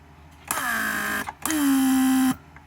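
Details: Rebuilt Mercedes W140 500SEL door lock pump, trunk handle circuit: two short runs of strong steady hum sagging slightly as vacuum builds to about 0.8 (-20), then clean shutoff; healthy, very strong pump.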